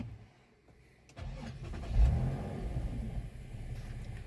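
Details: Infiniti (FX/QX/G) that died suddenly and cranked without starting despite fuel gauge reading above half; after adding fuel it catches within a second of cranking, blips up in revs, then settles into a smooth, even run with no misses; normal start.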